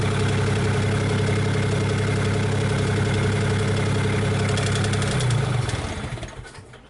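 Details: Komatsu PC40 excavator with swapped-in Cummins diesel, warmed up: steady, even low rumble with smooth regular firing and no knocks, 58 psi oil pressure at idle, then it winds down; healthy warm idle.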